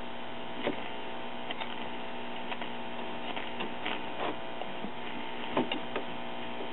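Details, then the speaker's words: Circa 1939 Emerson 5-tube battery portable on 1.5V filament and 90V B+, first power-up with a broken dial string and manual tuning: steady hum and scattered crackles from the speaker, no station; the first IF transformer's primary winding is open. "and I'm getting no reception"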